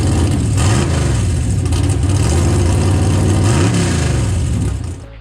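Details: Stock 6.0L LS V8 with 243 heads and carburetor, just fitted with a BTR Stage 5 drag cam: deep, loping idle pulsing about four times a second with a rev in the middle, running steadily after first start; normal cam lope.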